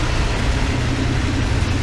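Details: 1988 Dodge B350 fleet van V8, rusty drivetrain donor: deep, steady idle with an even low rumble, no knocks, misses or odd noises. Runs like a champ and sounds healthy.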